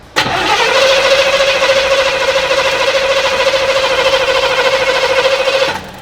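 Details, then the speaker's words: Monte Carlo SS barn find parked 20 years, carbureted: steady starter cranking about six seconds, engine turning over evenly but never catching; tank was empty despite gauge reading full; crank no start, out of fuel. "so this is where we actually figured out the issue the car had no gas in it I know before you guys go and comment how could you be so stupid the fuel gauge was reading that the car was full so we didn't even think to check"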